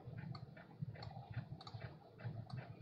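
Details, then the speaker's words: Vintage laptop during a Windows install: quick, light ticks, about three a second, as the floppy drive head steps across the disk. This is ordinary floppy seeking. "Floppy disk is seeking."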